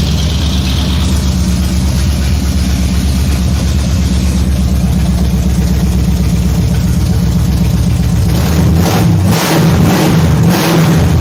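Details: 454 big-block (7.4L) V8 from a 1974 Nova, over 37,000 miles, on its last run before removal: loud, even idle, then quick throttle blips rising and falling cleanly without stumbling; healthy.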